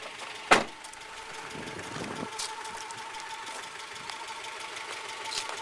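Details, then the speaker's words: 2001 Honda Prelude, H22A engine, idling with flashing check engine light and cylinder 3 misfire code; sharp bang then thin, unsteady idle with irregular ticks and stumbles; cylinder 3 misfire, compression test planned. "see the check engine light flashing at idle here um and then see the code here on my computer too it's got the cylinder three misfire detected"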